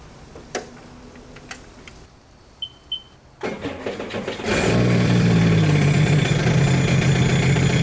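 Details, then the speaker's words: Rebuilt 300hp supercharged 12ft aluminum mini jet boat, new jet nozzle, on the water; a few light clicks, engine catches around four seconds and settles into a steady even idle; normal start and idle, now idles off trailer. "Backing it off the trailer, it definitely felt a lot better. Before, I'd have to rev it so much to back off the trailer, and this time it just basically idled off."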